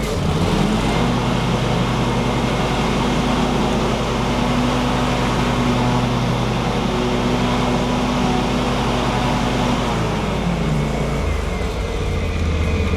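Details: John Deere X380 with 48in Accel Deep deck after upper and lower deck belt replacement, run longer with deck engaged: steady even engine drone, blades smooth, no slap, squeal or knock; normal mower deck running.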